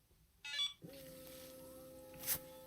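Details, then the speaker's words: 12V 5kW plumbing water heater on timed automatic start, water still at 60 °C: quick chirp of beeps then steady low hum as fan and pump come up; starts properly. "we go. It's working. It's still at 60 degrees Celsius. Let's start it up again just fine."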